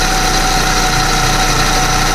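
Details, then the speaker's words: Proton Persona (Campro) petrol engine idling rough, owner complains of it running unevenly. Rough, gravelly hum with a steady whirring tone. Mechanic checks the bearings with a long screwdriver and finds the alternator vibrates strongly, suspecting a worn alternator bearing. "Tapi yang alternator ni dia punya gegar kuat ah. Memang aku rasa alternatorah."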